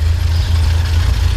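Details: 1985 Alfa Romeo Spider Veloce, restarted after stalling from cold revving: short, deep, even idle rumble, nothing rattling or ticking, no smoke; runs smooth.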